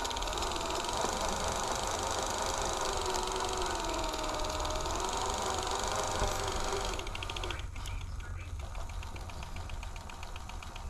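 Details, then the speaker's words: Mold-damaged digital/Hi8 tape on a rewinder with hand tension applied to slow it: rasping crackly peel, like masking tape, turning into uneven ticking as it slows; mold-sticky tape pulling apart, not yet shedding. "applying a little bit of resistance and we are in the mole territory I can hear it rip coming off we haven't shed yet but it's trying"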